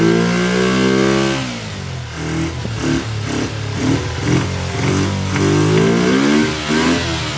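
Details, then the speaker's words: Kawasaki Ninja twin on project restoration, just fitted fuel splitter with temporary fuel line to both carburetors, flooding at start: revs surge and sag with lumpy, stumbling beat instead of clean rise; rough running, carburetors suspected, not confirmed. "Well, it runs. Definitely doesn't run the best. Those carburetors, I think, are the biggest issue right now."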